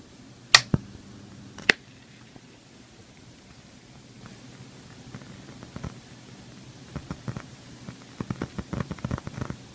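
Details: KRK Rokit RP5 G2 studio monitor: irregular sharp pops and dense crackling static growing busier; not mains or cable related, disappears after a few minutes of warm-up; KRK logo light dimmer than the working monitor.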